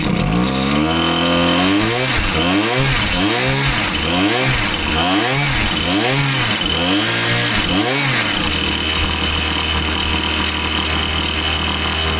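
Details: Husqvarna 525PT5S two-stroke pole saw, previously bogging, on the final run after carb work and a new ignition coil: about eight quick throttle blips snap up cleanly, then it holds a crisp, steady high speed; the bog is gone and it sounds healthy.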